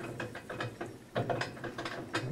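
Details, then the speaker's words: GE Infusor GTWN5050M0WS H.E. washer running empty, around the rinse stage: irregular bursts of rattling clatter like loose chain links, which the owner jokes is rattling its chains; cause unclear. "we rattled our chains off the chains man"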